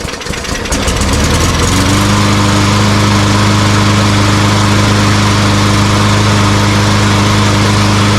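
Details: Walmart Hyper Tough push mower after carburetor cleaning for a no-start fuel issue (good compression and spark): cranks, catches within a second, then settles into a steady, even single-cylinder beat with no misses or surging.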